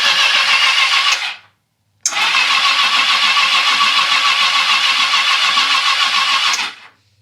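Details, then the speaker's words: 1982 Yamaha XJ650 Seca motorcycle sat 4½ years, on a jump box with spark plugs out for cleaning; two even cranking bursts, about three beats a second, nothing binding: normal cranking, turns over perfectly. "Awesome. Awesome. Everything turns over perfect. That's awesome. I can't believe that thing hasn't rolled over in 4 and 1/2 years."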